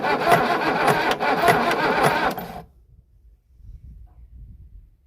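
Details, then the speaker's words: Boat engine for budget 1967 Mustang fastback build, unknown history, has oil, hot-wired starter: harsh rasping cranking, heavy strokes under two a second for two seconds; owner fears noise in the oil pan, finding suggests dry cylinders. "that don't sound good oh my gosh please don't tell me this motor shot really that the oil pan oh that don't sound good that sounds like that's in the oil pan"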